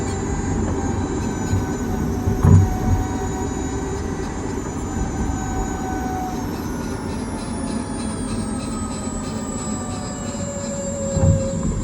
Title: Sound Kia Niro EV grinding Noise - what defect?